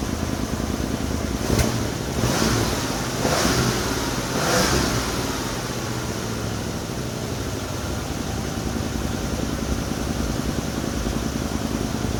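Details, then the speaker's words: Mercury Cougar during restoration, started after brake bleeding, with a few throttle blips then idle. The exhaust sounds flat and held back; the owner suspects the muffler is choking the engine, which is not confirmed. "muffler's really choking this poor thing. She needs to scream."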